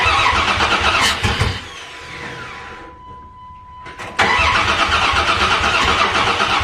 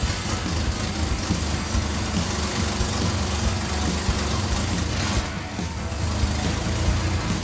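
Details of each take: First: Dakota after tune-up with new plugs, plug wires, distributor cap and rotor, plug wires connected in wrong firing order: starter cranks with a few ragged catches that never take, then stops; crank no start. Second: Dodge Dakota warming up after a tune-up with new spark plugs, plug wires, distributor cap and rotor, before Seafoam treatment: steady, even low rumble with no stumbles. It idles smoothly with no misfire after the distributor wiring was corrected.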